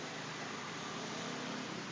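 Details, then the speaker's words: Refrigerator being recharged with freon after vacuuming, pressure at about 10: even, steady hiss of refrigerant through the evaporator with no sputter, showing the capillary is not clogged and flow is normal. "kalau bunyi berarti titik L ini tidak mampet Anda tambahin ke 10 ya"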